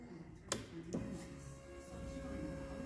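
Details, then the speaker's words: 2012 Arctic Cat EFI ATV after a blinking no-start, apparently fixed by unplugging and cleaning a connector: click at key-on, then a quiet steady hum for a couple of seconds as the fuel pump primes normally. "you can hear it i guess that's the pump we'll start right up there you go"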